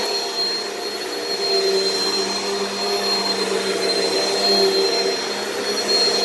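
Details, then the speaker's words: Repaired Hoover vacuum running and said to be working just fine: a smooth, steady motor whine with a high airy rush and no surging or choking. The suction path sounds clear; normal running. "but this hoover is working just fine"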